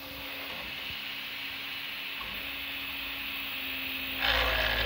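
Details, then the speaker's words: Prusa MK3S 3D printer after tightening Y-axis belt, ghost crash diagnosis: steady motor hum with rapid uneven shudder about four beats a second on Y-axis moves, seemingly right side; suspected bearing or loose rod. "I heard that that shuttering so that shuttering I'm pretty sure is contributing to whatever is happening those are shuttering on the y-axis movement"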